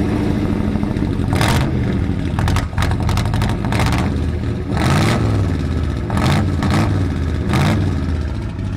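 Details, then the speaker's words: 1964 Ford F250 dump truck Y-block V8 after sitting over a decade, carburetor only idling on choke: repeated blips with light fast sewing-machine chatter rising with revs; typical Y-block valvetrain tick, suspected. "typical y block sounds like a sewing machine that's kevin's valve dance"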